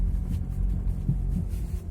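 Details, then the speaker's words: Renault Laguna 2 driving over potholes and a speed bump: dull low thumps from the front, right and left, through road rumble; stabilizer and ball joint already replaced; owner suspected the strut; a faulty shock absorber proved to be the cause. "Если будет слышно, на ямках очень сильно с правой, с левой стороны бьет. То есть слышен глухой"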